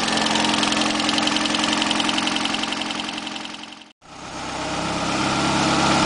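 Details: 1989 Ford Escort GT 1.9 HO (apparently '86 block), first run after in-car overhaul: even, steady idle with a regular firing beat, no ticking or knocking; one lazy lifter eventually pumped up, running cleanly.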